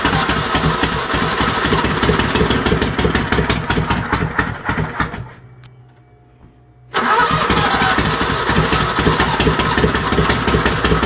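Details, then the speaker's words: Troy-Bilt GTX 20 engine after new heads, new lapped valves and gaskets, fuel fed into carburetor: harsh, raspy bark with sharp pops at each firing stroke, far louder than stock; exhaust muffler baffles are gone. "I know the baffles in the exhaust are gone too"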